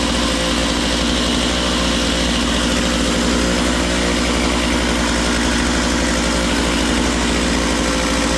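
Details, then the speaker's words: Makita DCS 6401 chainsaw, unused for 10 years, now run with filter and bar and warming up: fast buzzy idle that never drops; idle set too high, so the chain keeps spinning off throttle; idle needs turning down. "I got to turn the idle down cuz when you let off completely the chain should come to a stop Miss not it's still spinning pretty good"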